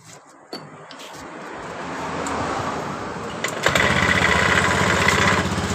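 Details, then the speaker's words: 2015 Honda Beat Pop scooter, just started: coarse, gravelly drone from the belt drive at idle, turning smooth briefly, coarse again on the throttle. "kemudian coba kita hidupkan kembali seperti itu ketika kita tarik tuas gas motor ini suara kasar dan ketika kita tarik tu tuas gas eh terasa di bagian mesin"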